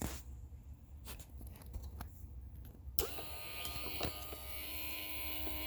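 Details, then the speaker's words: Removed air door actuator from a 2012 Dodge Challenger, run on the bench with pressure applied: small motor whirring with faint irregular ticks; a missing gear tooth found, owner unsure it causes the ticking. Replacement installed, no longer ticks. "You can kind of hear it ticking. I don't know if that's what causes that little thing, but you can kind of hear it ticking."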